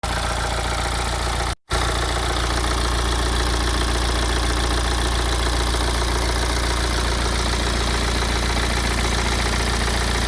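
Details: BMW E87 116d, N47D20C diesel, 220,000 km: loose, uneven rattle over low diesel idle at about two beats a second; engine rattle at idle, owner suspects dual mass flywheel, unconfirmed.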